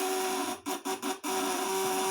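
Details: 1 kg inverter quality test before shipping, under 500 W then 1000 W load: steady loud mid-pitched buzz with four brief dropouts that stays strong and even, louder under heavier load; healthy inverter.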